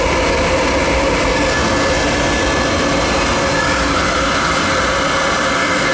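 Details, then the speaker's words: Riello oil burner during annual service, on heat call with thermostat turned up: steady, even flame roar with soft constant hum, no pulsing or rumble; started up nice and clean, normal firing. "Started up nice, you hear it? Nice and clean."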